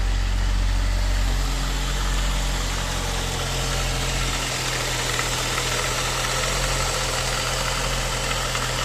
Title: Engine knocking?